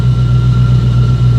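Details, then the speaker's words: Chevrolet Blazer cabin: steady low droning rush like a fan blowing, engine noise leaking through a small unsealed floor hole awaiting its seal and cover plate. "noise from the motor seeping through that little floor hole there."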